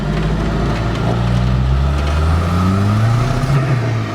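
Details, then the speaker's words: Ross's Volvo, turbo, eBay boost controller installed on the wastegate actuator line with a broken check valve: engine pulls hard with rising drone, then the note drops abruptly as boost cut hits around 10. Turbo overboost hitting boost cut. "That was right around 10 when you took your foot off. Well, yeah, it boost cut."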